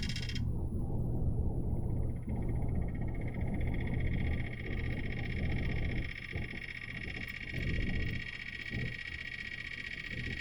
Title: HVAC Rattling Noise